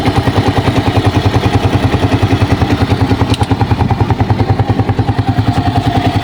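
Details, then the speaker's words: Racal 125 tricycle single-cylinder at idle, valve clearance not adjusted for two years, before adjustment; light, quick ticking at about three per second, not very loud; valve tappet tick. "So ayan guys umaandar na siya. Meron kayong naririnig guys na tumitiktik."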